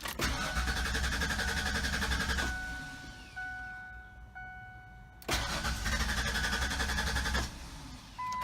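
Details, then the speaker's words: 1996 Ford Explorer that sat two years, little fresh gas added, gauge suggests tank was empty: two long bursts of steady starter cranking, about three to four compressions a second, never catches; owner suspects fuel pump, fuse or relay, unconfirmed. "well I hate to say it but maybe it is the fuel pump"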